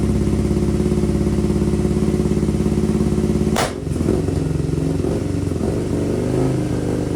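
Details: 2002 Aprilia RSV V-twin barn find, stored 8 years, first start on new fuel system: uneven lumpy thudding at slow idle, owner believes one cylinder firing, then a sharp exhaust pop and rougher rhythm; cause unconfirmed.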